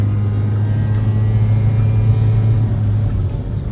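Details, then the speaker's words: Nissan 200SX ice race car on road test: engine drones at flat, steady low pitch at full throttle for five to ten seconds, never reaching 50 km/h; lack of power, cause unconfirmed. "pedal to the floor for probably five five ten seconds couldn't even get up to 50 kilometers an hour that's just sad that's just terribly sad"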